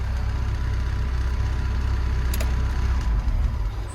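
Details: Develon excavator, left running after ECU plug work with no error codes: steady low diesel rumble at idle, even and unbroken, no misses or knocks; engine running normally.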